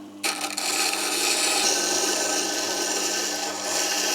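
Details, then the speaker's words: ToolMania 250 mm variable wet stone tool grinder, chisel cut against wheel rotation on wetted stone: even continuous scraping rasp, stone cutting well; normal grinding. "works quite nice and I think the stove is cutting and really well"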